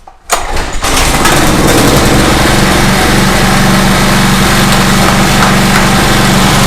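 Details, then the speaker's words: Small Craftsman portable generator, reassembled, cranked on choke: catches within a second, settles into steady even run, no misses or knocks; normal running (crankcase breather tube noted missing). "Now that I got everything back on it, I like to crank it one more time once everything is back together, just to make sure I'm good to go. So I'm gonna crank it one more time."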